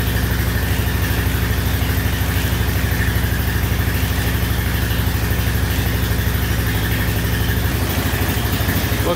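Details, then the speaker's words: 1999 Honda Foreman 450 4x4 ATV, sat about 10 years, first start on choke with old oil: steady single-cylinder idle about three beats a second, no knocks, but carburetor dumping fuel; debris stuck in float needle seat found. "it's dumping some gas out of the carburetor for some reason not sure what's up with that running good i checked the little screw on the carburetor bowl and that's tight so it must be the float height or something"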